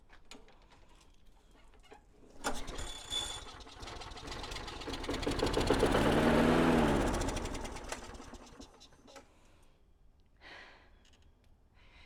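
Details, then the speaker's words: Lawnmower on starting fluid sprayed into engine: after a couple of pulls it fires, revs about four seconds and dies; stalls because it isn't getting a constant flow of fuel (fuel starvation). "All right, so it started. And the reason it didn't stay starting is because it's not getting fuel. That's an easy way of telling that, because I gave it a fluid to start and it could not run because it wasn't getting a constant flow of fuel."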